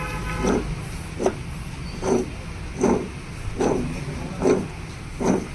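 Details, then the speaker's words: Maruti Wagon R idling with a rough, pulsing hum from the timing-side AC compressor, present even with AC off: failed outer clutch pulley bearing, to be replaced. "Bearing പോയിട്ടാണ് ഈ ഒരു സൗണ്ട് കേൾക്കണത്."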